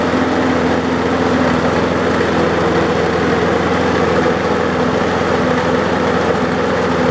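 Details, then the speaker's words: Old roadside-rescued mower, blade confirmed fitted correctly after a severely bent blade: steady small single-cylinder drone with a coarse buzzing shake at constant speed; heavy vibration from a bent crankshaft. "well as you can see it runs but we still got quite a bit of vibration my guess is I put the blade on wrong or worst case scenario the cranks bent"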